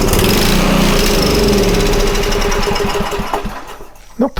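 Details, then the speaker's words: Homelite 2500 W generator, restart with starting fluid: engine catches and runs roughly about three seconds, then stumbles and dies; fuel starvation from plugged carburettor main jet, to be cleared with air; tank cap suspected faulty. "that main jet is plugged. So, where I told you doesn't need to be it has a fixed jet, I'm going to blow air in there and we're going to try this again."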